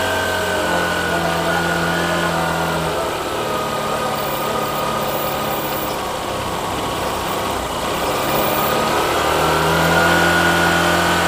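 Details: Honda Shine with a newly fitted replacement shutter-model carburettor, before tuning: even, steady single-cylinder putter at constant idle with no stumbles or surges. The earlier problem is gone and it idles cleanly.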